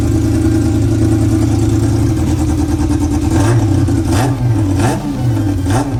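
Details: Honda CB400 four-cylinder with four square carburetors fitted to an off-road golf cart, throttle linkage just made: catches, idles, then blips crisply up and down with even pulses, all cylinders pulling together cleanly; normal revving.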